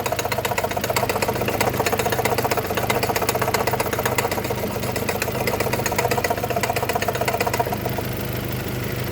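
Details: Fast, fairly even tapping knock at about three knocks per second over a steady idle hum in a Mazda 3 BK engine; origin of the knock unknown.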